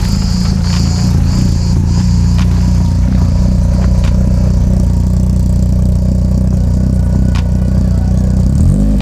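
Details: Renault Clio Williams Group A style race car, first start after engine rebuild with Colombo Bariani camshafts, forged pistons and rods, alloy radiator, silicone hoses, Clio Sport 182 gearbox: deep, crisp, even firing picking up cleanly on throttle blips, no knocks or ticks; normal idle and revving.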